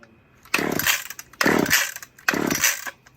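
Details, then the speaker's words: Old long-stored Stihl or Husqvarna chainsaw, chilly evening: three rasping starter-rope pulls about a second apart, each fading without catching; cranks but won't fire, suspected old gas in the carb or needing a spark plug, unconfirmed. "It's probably just got a lot of old gas in the carb. Yeah, it could."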